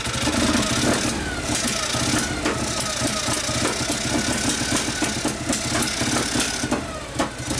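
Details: 1959 Harley 74ci panhead, new build with 38 Mikuni carb, after kickstart tune-up for very hard starting: loose, unevenly spaced lope with steady valvetrain tick; running evenly.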